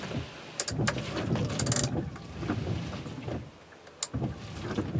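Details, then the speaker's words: Windshield wipers after the chatter fix, wipers now flipping over properly, tested on wet glass at fast and slow speeds: soft motor whir and swish, no chatter or skipping at the turnarounds. "let's go ahead and check our work and see if it's fixed oh yeah oh it's perfect even on fast speed"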